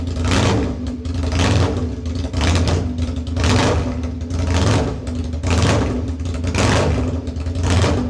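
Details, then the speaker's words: Second-generation Aprilia Tuono 1000R V2, Rotax V-twin, first start after purchase with no muffler fitted: very loud open-piped pulsing, steady even rhythm and picks up cleanly; runs healthy, just unmuffled. "Yeah, this is why we have mufflers on our motorcycles, to stop ourselves going deaf."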